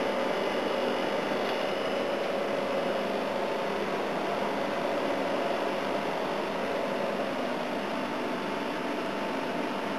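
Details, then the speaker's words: A/C unit on high fan, starting to freeze up, with head pressure, after sitting for 15 minutes: steady fan air rush over constant compressor hum, no knocks or rattles; running and cooling normally. "Oh, I've stuck it on high fan, starting to freeze up. Yeah, it's working quite well."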